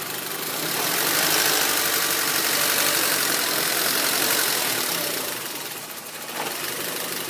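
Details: 2004 Honda Civic LX (7th gen, 80 km stated), engine warm: low idle with an uneven pulse of about four beats a second, sagging and recovering. Rough, hunting idle with stalling and hesitation; O2 sensor suspected, IAC cleaning also advised; cause unconfirmed.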